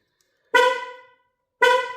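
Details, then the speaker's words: Rover 75 being locked with the boot left open: two short horn chirps about a second apart as it locks, the alarm warning that the boot is open. "So, when you lock it, I've shut the boot down there now, so hopefully it won't um beat the horn anymore."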